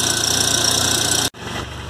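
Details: VW Golf Mk3 single-point injection that was stumbling at idle, after replacing the idle air control actuator: engine holds a steady, even idle with no stumbles or dropouts, even without throttle; normal idle.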